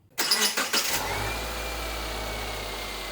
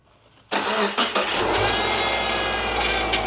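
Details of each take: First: 2011 Subaru Impreza Outback Sport after replacing the leaking O-ring on the power steering pump upper feed hose, fluid above cold max line: engine catches and idles smoothly, much quieter, no chirp or groan from the steering pump; normal idle. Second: After start-up, a faint steady whine sits over the idle of a 2011 Subaru Impreza Outback Sport power steering pump after the feed-hose O-ring was replaced. Air is still in the system; more fluid and turning the wheel to bleed it are needed.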